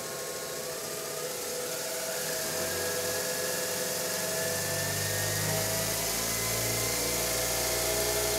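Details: DIY CNC mill spindle on a new Marathon Y551 motor driven by a DURApulse GS20 VFD, at about half speed: steady, even motor whine with smooth drive hum, no knocks or roughness; normal running.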